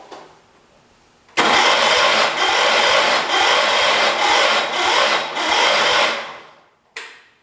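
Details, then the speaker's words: 1978 Kohler K341 single-cylinder, freshly rebuilt with new rings, first start attempt, timing untested: harsh rasping churn about twice a second for five seconds, never catches; owner suspects too little fuel; cranking without starting. "ready i feel like it tried to a couple times"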